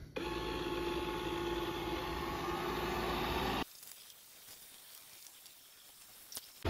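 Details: Proscenic M7 Pro robot vacuum, 15 months old, after a battery replacement fixed it erroring out after 20 seconds: steady, even motor whir with a soft brush hum, no catching or labouring; runs normally.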